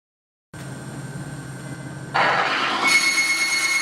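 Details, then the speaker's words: Timken bearing test rig, lubricated with Outer Try Care: a thin squeal grows louder and harsher as the lubricant breaks down, billowing smoke within 2 seconds and failing within 3 seconds. "within 2 seconds it starts billowing smoke and fails within 3 seconds"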